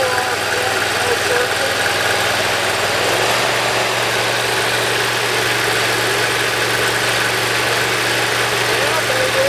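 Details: Briggs & Stratton Intek V-twin mower engine (Dixon mower re-power) after valve lash adjustment, reaming of the Nikki carburetor low-side jets and governor adjustment: even steady drone for ten seconds with no rise-and-fall hunting; surging cured, governor settled.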